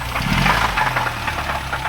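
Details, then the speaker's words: Mitsubishi Conquest TSI (G54B turbo) parts car, long stored in a barn, first startup, heavy exhaust smoke: rough idle with heavy rapid knocking keeping pace with the engine; owner suspects worn rod bearings and piston rings, unconfirmed. "knocking good huh so to me that sounds like rod bearings if I'm not mistaken so I think the rod bearings are pretty shot on this"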